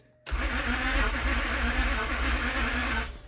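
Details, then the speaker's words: Towed-in crank-no-start car: slow dragging cranking (RPM below the roughly 450 expected), uneven starter whir with irregular low thumps as it engages and disengages; faulty starter motor; timing still to be checked. "The starter was what caused them to engage and disengage. So it wasn't the ignition switch, but I'm gonna find out shortly."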